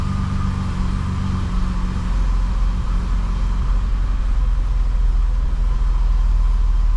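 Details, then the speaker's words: BMW E28 535is (M30) that had a low-rpm misfire when hot, after ignition wiring replacement and warm-up: steady, even idle with a smooth low rumble and no stumbles; normal idle, no longer choppy. "All right, so we let the car warm up and good thing we did because before the exhaust did sound a little choppy, but we're looking absolutely great now."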